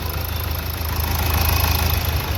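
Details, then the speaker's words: Nissan Terrano diesel after injector service and replacing a faulty coil (previously missing, knocking, code P0203): steady, even low idle with no ticking or knocking; normal running after repair. "य तो engine तो अपना एकदम से silent है यहां पे आप देख सकते हो पहले काफी टक टक टक करके आवाज करता था और अपना इंजेक्टर वर्क नहीं करता था"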